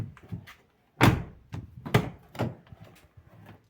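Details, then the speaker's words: 2015 Jeep Patriot door after greasing the squeaking hinges with solidol: door swings fully open and shuts with dull thuds and a clean latch; no hinge squeak remains. "і як чуєте скрипу Уже немає в цьому допоміг нам салидол"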